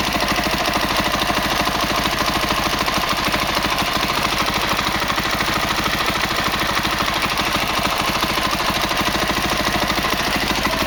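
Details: 2003 Honda CRF450 four-stroke, first start after engine rebuild for seized connecting rod and blown rod bearing, started without choke: even single-cylinder thumping at steady idle, no ticking or rattle; rebuilt engine idles cleanly, normal idle.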